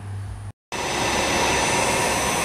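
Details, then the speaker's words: Allis-Chalmers 15 HP blower motor with freshly serviced front bearing, running no load at 60–60.5 Hz, 300 VAC, 2.7 A three-phase (5.2 A at 120 V single-phase line side): a smooth, steady hum and whine with no growl. The bearing is slightly warm from new grease, and it sounds healthy. "sounding good. A little bit of warmth on the bearing from that new grease distributing. In case anyone's curious, that's running at normal speed, 60 hertz."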